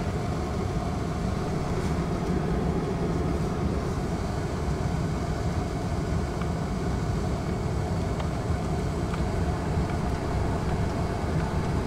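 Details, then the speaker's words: 2001 Corvette C5 with a newly installed blower motor, auto climate set at 70 and the fan run up. Steady, even airy whir with no rubbing or rattles: normal blower motor operation. "so we'll set the temp attempt set at 70 auto i'm going to run the fan motor up you can hear it"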